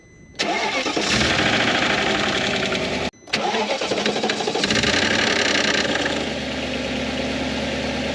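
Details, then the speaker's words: Audi C5 RS6 twin-turbo V8, two cold starts: brief loose metallic rattle fading as idle settles; worn timing chain tensioner pads and springs give free play until oil pressure builds, silent when warm. "But what happens after a few years, the tensioner pads start to get a bit worn, the springs get a bit worn, and then it's a rattle on first start, which I have just started experiencing"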